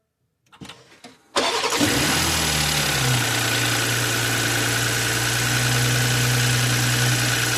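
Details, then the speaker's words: 2020 BMW X5, towed in as a no-start that seemed locked up, after spark plugs torqued and coils installed: brief quick cranking, catches at once, settles to steady even idle; starts and runs normally. "Alright. There we go, guys. It is a cranking, running engine."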